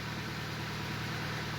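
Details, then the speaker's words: Hyundai Tucson after head work with complete head bolt set, cooling system filled with distilled water: steady, even low rumble with no stumble or misfires; normal smooth idle. "That's good. It actually feels like it's running pretty smooth. Engine sounds good."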